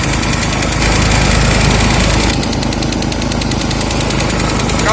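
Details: Huter SGC 6000 at 72 engine hours (71 h 55 min): a loud single-cylinder engine with a rough, regular knock about three or four times a second over the drone. The abnormal, mysterious knock returned; its cause is unclear.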